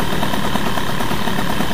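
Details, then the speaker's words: Airsal T6 50cc two-stroke, stock, Doppler head, prepared stock cases, MVT Premium ignition at TDC, Giannelli Black Gun exhaust, 21 PHBG carb, rich idle jet; just restarted, even buzzing idle with no dips, idle slightly too high. "Alors, jusqu'à là, c'est cohérent. Le ralenti est un peu haut là."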